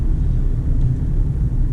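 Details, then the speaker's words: 2009 (59-plate) Ford Fiesta Mk7 1.25 petrol after spark plug replacement and bolt tightening, driving: smooth, low, even rumble with no stumbles or jerks; misfire cured, engine running normally. "and there we go no more misfires on the fiesta"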